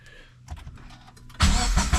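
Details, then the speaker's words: Toyota FRS/Subaru BRZ with aftermarket exhaust, start at higher rpm after tightening loose front pipe/overpipe near the subframe: starter cranks, engine catches and runs evenly with no exhaust rattle; fixed. "yep no more rattle sound was rattling pretty bad when I when you start the car since the RPM are higher but now it's fixed"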